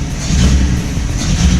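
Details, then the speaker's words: Engine idling at about 800 rpm after the idle screw was readjusted following a timing job: loud, steady, deep drone with an even, audible intake breathing rush and no misses or knocks; running cleanly. "Ooh, that's cool, dude. You can legitimately like hear that. That's our girl breathing right there."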